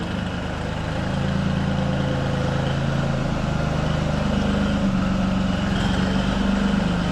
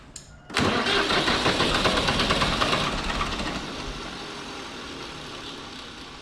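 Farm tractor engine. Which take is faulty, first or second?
second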